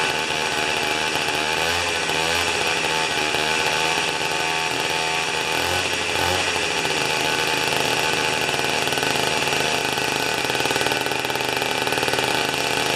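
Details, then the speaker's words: Old two-stroke snow thrower that sat for years, spark plug cleaned, mixture being set: high, buzzy steady running with a light ring-ding and a slight dip and recovery in speed, like a small dirt bike. Normal running. "okay so listen to how the mottar uh will come well we'll do it to the side I guess kind of sounds like a little dirt bike isn't it"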